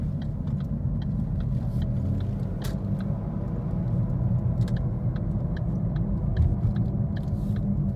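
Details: 2013 Ford Focus: heavy, steady low drone in the cabin while driving, loud road noise traced to a bad left-front wheel bearing, replaced.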